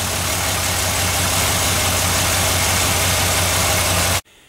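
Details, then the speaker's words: GMC Denali petrol engine after serpentine belt, oil and filter change, idling with a steady, even rumble and no lifter tick; it ticked briefly when first moved, then the tick went away. A couple of exhaust leaks are audible and it smokes blue. "The ticks are gone. After we let it set and come back and we started to move it, she ticked for a little bit and then it went away."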